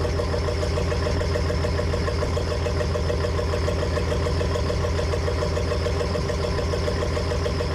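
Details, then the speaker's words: 1993 square-body Chevy dually with swapped 5.9 Cummins diesel and VE rotary pump leaking at relief port: steady, even idle with firm low rumble and clean injection knock; excessive smoke at idle not fixed, owner hopes pump adjustment will cure it. "I did get one of my problems fixed. No, I did not get the smoking at idle fixed."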